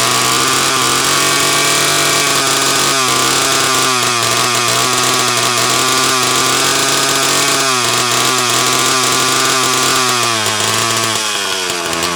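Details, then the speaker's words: Homelite XL-12 chainsaw on a test run: a high buzzy two-stroke note that sags and stumbles every few seconds, cutting in and out despite great spark, an ignition misfire. "so what the ignition problem is I truly don't know but cutting in and out"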